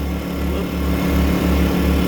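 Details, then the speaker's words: Two generators running on prototype external-vented fuel caps under a heater load: two steady low engine drones holding speed with slight periodic dips, working evenly. "loaded up both generators to uh take that load that's going to be a pretty substantial load so i'm going to let that run"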